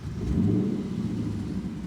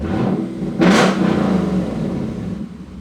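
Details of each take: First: 2017 Lexus GS F V8 with an aftermarket exhaust, just started: deep blip with a loose, fluttering puff in the exhaust note. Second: 2017 Lexus GS F V8 with a Meisterschaft exhaust, after swapping a faulty sensor and clearing a sensor-circuit code: a deep idle and throttle blip with no rattle, buzz or hiss.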